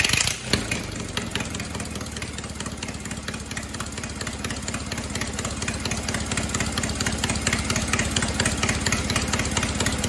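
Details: Cub Cadet 482 tractor after an engine swap from an 11 hp Briggs to a 12.5 hp opposed-twin Briggs, with the carb rebuilt, running with no muffler: loud, crisp, evenly spaced exhaust pulses after startup, no knocking. It sounds good, loud but healthy.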